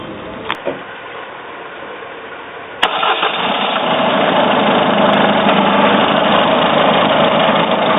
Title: Citroen C4 strange engine noise